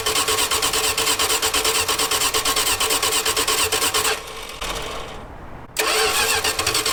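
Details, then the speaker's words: V8-swapped 1946 Dodge Deluxe running off its own fuel pump for the first time; the neutral safety switch is bypassed. It runs choppily for about four seconds, sags and dies, then catches again; fuel delivery stopped, and the choke linkage was found disconnected. "runs for a minute then quits"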